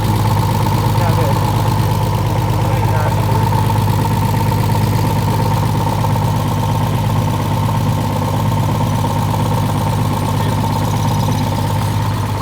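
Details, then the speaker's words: Ford Popular Anglia with fresh-built RB30DET and BMW 7-speed DCT, gearbox recently off; steady idle with a coarse tractor-like chatter and constant whine, from air in the dual-clutch mechatronics. "What? gearbox. Why is it making that noise? Low on fluid. What? Just cuz it's low on fluid. It's doing that. No, cuz it's got air in the meatronics."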